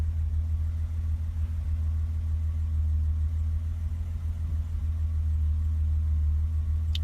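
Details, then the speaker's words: 1988 BMW 325 sedan, cold start after sitting overnight, idling about 5 minutes and coming up to temperature: smooth, even low hum with steady beat, no misses, knocks or ticks; runs normally, 500 trouble-free miles last month. "No weirdness. Check engine lights. Just starts and runs like she should."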